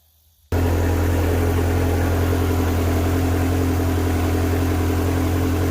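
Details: Ferrari 360 started cold with fuel pressure gauge fitted: quiet start, then catches and settles into smooth, steady idle with no knocks or misses; fuel pressure about 50 psi running.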